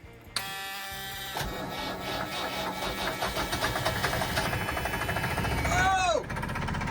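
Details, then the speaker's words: Ford Lehman marine diesel in a 43-year-old Nauticat, first start after hydrolock rebuild, with a coolant/water leak: brief cranking, then catches and settles into a steady, slightly rough idle; starts and keeps running. "She runs, dude! She fucking runs, bro! No way! She's running, bro!"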